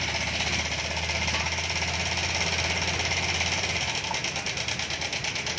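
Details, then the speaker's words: 2020 Honda Beat Street scooter at 13,000 km, idling with the fan cover off: a harsh, fast, loud, constant metallic chatter; the mechanic suspects the timing chain tensioner, valves or rocker arm. "Jadi, berdasarkan analisis atau dugaan saya, suara mesin ini kemungkinan berasal dari tensioner rantai timing, katup, atau lengan rocker."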